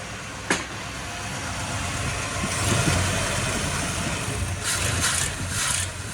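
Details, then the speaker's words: 1955 Chevy Bel Air "Lucy" after months of a no-run problem, fixed by a new fuel pump, choke needing slight adjustment: steady V8 drone on the road, no stumbling or cutting out. Normal running. "So, it turns out Lucy runs a lot better when she's got a fuel pump and when the choke sp a little bit needs a little bit of adjustment."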